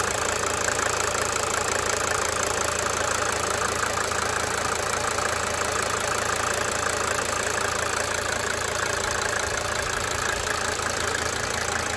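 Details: 1992 Mercedes-Benz 300D 2.5 Turbo diesel at idle: fairly regular rapid injector tick about four per second over the clatter, coming and going cyclically.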